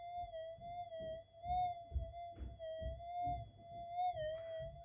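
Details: Minelab GPX 5000 with redesigned low-noise input stage (same gain, Deep, Normal timings, Cancel, Fixed) on a 0.05 target: clean, steady mid-pitch tone warbling slightly as target passes, little hiss; detector responding cleanly.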